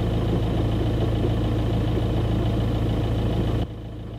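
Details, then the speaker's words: 2009 Audi A3 1.9 TDI Sportback diesel, 167,000 miles, idling in neutral with clutch released: loud, uneven rattle from under the car that stops when the clutch is pressed; worn dual mass flywheel, fixed by replacing flywheel and clutch. "so just to summarize in case you couldn't hear it that well it's a hideous rattling noise you notice it most when you're sitting with the engine ticking over in neutral foot off the clutch at traffic lights"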